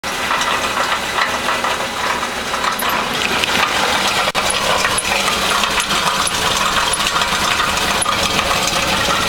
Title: 2000 Honda Civic Knocking Noise Catalytic Converter Exhaust Problem